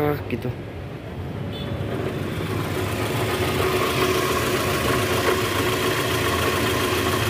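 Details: 2010 Toyota Vellfire, 2AZ-FE 2400cc, about 100,000 km, cold morning start idling in reverse with brake held, heard low on engine: rough uneven knocking; balancer shaft gear likely worn or broken.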